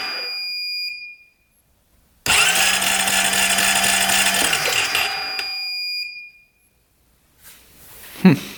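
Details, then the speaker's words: 2008 Honda Rancher 420 ATV with no spark, cranked during a pickup-coil peak-voltage test reading 0.1: about two seconds of steady starter whirr at constant pitch, no firing; cranks but won't start. Pickup coil judged fine; the new coil is suspected. "we'll crank over the engine as fast as we can see what [Music] happens yeah I don't think it's going work"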